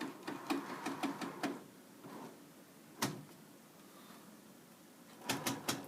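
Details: A DTG printer makes sharp, dry clicks in quick bursts of about four or five per second, then pauses, from the bottom of the machine. The owner suspects a spinning wheel, but the wheels looked fine and the chrome rails have been cleaned; the cause is unknown.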